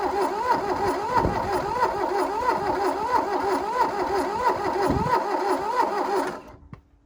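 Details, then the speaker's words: 1982 VW Rabbit diesel Caddy pickup that sat 20 years, glow plugs cycled: steady starter churn for six seconds that never catches. No fuel comes out of the return line; owner suspects the injection pump isn't pumping and it may need a gravity feed. "damn it's trying i don't really have any fuel coming out of the return line though that's a bit dismaying"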